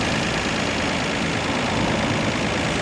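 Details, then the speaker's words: 1990 Nissan Skyline GT-R Nismo Edition with 150,000 km, idling: steady, even, smooth dense hum with no misses or knocks, and audible injector ticking that is normal for these cars; the engine starts easily and runs very nicely. "The engine started up without a problem at all, runs smoothly and very, very nicely. You can hear the injectors ticking away, that's normal for these cars."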